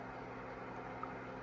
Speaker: If we listen carefully, you can hear the drive ticking.